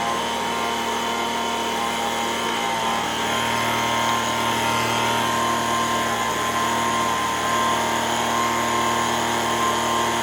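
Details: Echo ES-210 two-stroke leaf blower, about 20 years old, after repair for RPM surging, primed: high steady full-throttle wail around 7,100 rpm with no surging or hunting; running clean and healthy.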